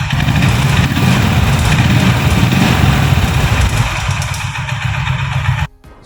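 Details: Honda Highness CB350 single-cylinder, noise appearing after first service, recorded at dealer: loud running with heavy, uneven thumping knock over the exhaust beat; engine/cylinder seizure later named, dealer opened engine, cause not confirmed here.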